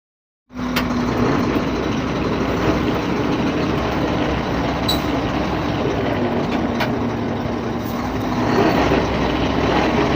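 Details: Truck running with a constant low hum from the hub planetary (suspected), plus a few sharp air hisses.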